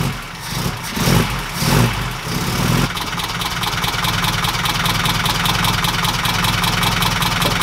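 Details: 1969 Ford Capri engine after adjusting valve clearances (cam followers) to cure rattling, sewing-machine-like noise: at idle a light, even tapping at engine speed remains, possibly one follower still slightly loose; quieter than before.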